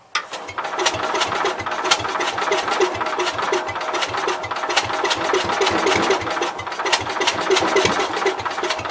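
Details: Cub Cadet 122 single-cylinder with spark, possibly a weak condenser, and poor points giving an intermittent spark, primed: the starter chugs it over about three strokes a second with odd catches, but it never runs on its own.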